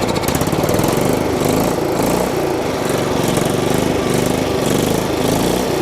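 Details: Old riding mower small engine after fitting a cheap aftermarket replacement carburetor, started on choke: holds a steady speed with an even, rapid patter and no surging, running properly and far better than before; owner heard what might be carbon in a valve.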